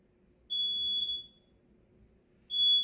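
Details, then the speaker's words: Fire alarm panel: two long, steady high-pitched beeps about two seconds apart in a quiet room, the alarm tone for a triggered smoke detector zone, code 39, second floor relaxation room. The detector is suspected dirty, and the alarm is silenced and reset. "Oh my god. Problem ha. Marumi ang smoke detector. Ayan sabi niya dito relaxation room."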